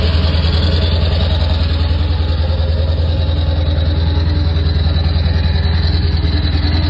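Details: Ford F-350 7.3 Powerstroke diesel cold winter start: heavy churning with a steady pulse about twice a second; hard start, cause not pinned down.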